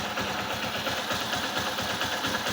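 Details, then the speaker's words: Honda Hornet 160R with new cylinder kit, after fixing low pickup (was about 70%, blamed on clutch plate, actually a side-part fault): quick even single-cylinder idle beat, smooth stock sound, no knocks or rattles. "Smooth sound निकला है, जो base sound है वही आया है। And गाड़ी अभी proper full pickup भी ले रहा है।"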